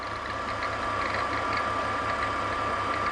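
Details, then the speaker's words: BMW E46 squeak, owner first suspected the alternator: steady high squeal over an even idle with faint pulsing chatter, belt jumping in and out; traced by touching with a screwdriver to the belt tensioner mechanism. "I touch that the the little adjuster mechanism that it's attached to those are the exact noises that it's making I'm but it's coming from the tensioner mechanism"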